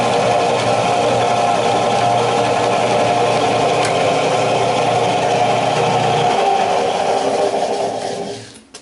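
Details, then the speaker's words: Early-1900s Moody Terrebonne power hacksaw, V-belt drive, running under power; a cam-driven cylinder lifts the blade on the return stroke so it doesn't drag. Steady mechanical whir with an even stroking rhythm, winding down cleanly without knocks or grinding. Normal running. "And the way this works is it's got a cylinder here that runs off a cam, and when this is pulling, there's no force down on it, but the weight's on it."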